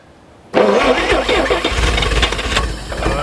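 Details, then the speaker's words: 1950 Chevrolet Fleetline Deluxe sitting for years, cold winter day, neutral, gas poured into the carburetor with fuel pump not hooked up: engine catches abruptly, runs rough and uneven a few seconds on primed fuel. "I'm going to just dump some gas in here quite a bit of gas and I'm just going to crank it over and if it fires we'll hook up the pump and see if we can keep it running"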